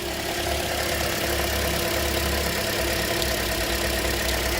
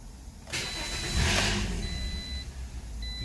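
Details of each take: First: 2007 Toyota after a crank, no-start fix: steady, even idle with a smooth low hum and no misses, stumbles or knocks. Normal idle. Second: 2007 Toyota: the starter spins the engine at a steady but uneven churn with dash chimes behind it, and it never catches. Crank, no start; cause suspected, not confirmed.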